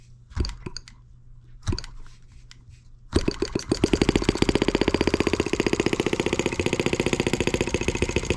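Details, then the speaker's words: Small engine used to drive the showman's engine generator, started by throttle instead of the drill attachment. A few flicks, then it fires quicker than expected into a fast, even popping beat, left to warm up; healthy running. "started up a lot quicker than i figured it would it's a great thing let that sit there and warm up a little bit"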